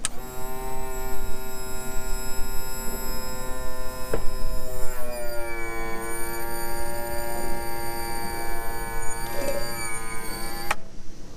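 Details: 2000 Yamaha 60hp outboard tilt/trim after topping up with ATF+4; steady electric motor hum with clear even tone dropping slightly in pitch under load, no leaks; trim pump now working normally.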